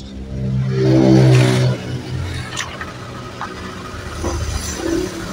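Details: Honda Vario 125 KZR (bulb-headlight version), kick-started: catches with a loud burst, then a thin, wavering idle that barely holds. It dies when throttled, and a test reading is about 20 against a standard of 40–42.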